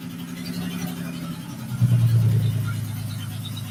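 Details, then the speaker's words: Honda J-swapped Porsche 914 on first startup: rough running with a loose, uneven clack about three per second over a low rumble; heard on the passenger side, owner wonders about a loose bolt, cause unknown. "sure sure sounds like uh sure sounds like a mechanical clack clack clack though i'm not sure what's going on but uh hey we got a running car"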